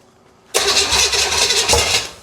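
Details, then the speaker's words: 1971 Buick 455 big block for a 1970 Skylark GS, first start before installation: silence then the V8 catches at once, strong even beat for a couple of seconds before dying; normal first start. "I should have ear protection. Oh my god, dude. Oh man. Very excited. Super happy to have heard that pop off like that."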